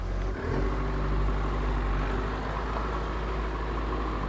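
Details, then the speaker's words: Old machine from the same barn starting easily, then settling into an even, steady low rumble with no misfires or tapping; a healthy idle. "That sounds really happy."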